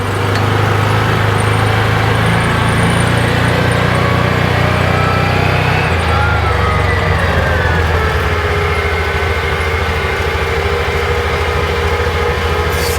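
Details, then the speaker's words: 2021 Axis 500 4x4 UTV, about 225 miles, after replacing the clutch one-way bearing (clutch housing off): smooth, even drivetrain hum coasting downhill in low range at about 5 mph, former deceleration grinding gone. "fantastic no more sound no more noise you can't see down in there but I don't have the clutch housing on so we're just coting at 5 mph sounds really good so it must have been the oneway bearing going south on this thing"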